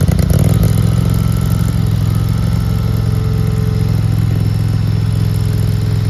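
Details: RODA RD380C mini skid steer loader, gas-powered engine: steady even low thrum at constant speed, no knocks or misses; smooth and healthy.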